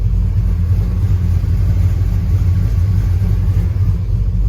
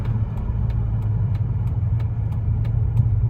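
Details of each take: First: 1999 Dodge Ram 1500 5.2 (318) V8, codes for slow-response O2 sensor and bank 1 sensor 2 heater circuit, misfire worse until warm; deep lumpy idle stumbling about three times a second; owner suspects front O2 sensor, unconfirmed. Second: 1999 Dodge Ram 1500 5.2 (318) V8, 5-speed, idling with the clutch in after a drive, following an apparent fix for its long-standing misfire and idle surge tied to the O2 sensor. A steady, even low rumble with a light regular tick, no surge or stumble.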